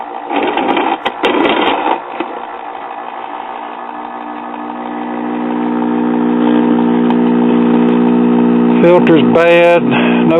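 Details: 1959 Spear-Tone tube kiddie record player, first power-up before restoration: worn, noisy motor spins up to a steady low drone with a strong buzzing hum underneath; power supply filter capacitor has failed.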